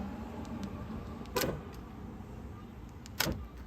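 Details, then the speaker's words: 2011–2019 Dodge Journey liftgate lock actuator, replacement actuator powered before reassembly: two short, sharp motor buzzes a couple of seconds apart; normal actuator operation, lock not seized. "I'm going to make sure it still moves. I want to make sure that there's nothing seized up in the actual lock itself."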